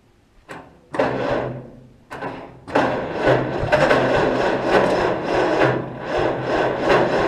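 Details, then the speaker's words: Cockshutt 40 tractor with an updraft carburetor, parked 2–4 years, after a washer was added under the battery bolt nut to restore contact, fuel still off. Short bursts of slow, uneven cranking with no catch; cranks but won't start. "That sounded a little hopeful there. Maybe I'll risk turning the gas on. These can take a lot of gas before they're actually flooded."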